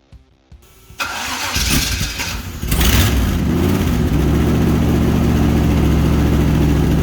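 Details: Toyota Toyoace V8 first start with new fuel system, camera at exhaust, burning oil off: crank, then uneven lumpy idle with occasional pops and backfire; fuel pressure needs raising, cause not confirmed.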